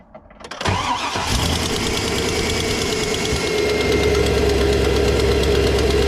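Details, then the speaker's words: GM LS V8 truck cold start: cranks, fires and settles into idle with a sharp rapid tick from an exhaust manifold leak. The tick has been present for years but recently got much worse, and it almost disappears as the engine warms; the fix is exhaust manifold repair brackets. "now this truck had a little bit of a tick for years exhaust exhaust leak but like I said just recently it got really bad so it's driving me"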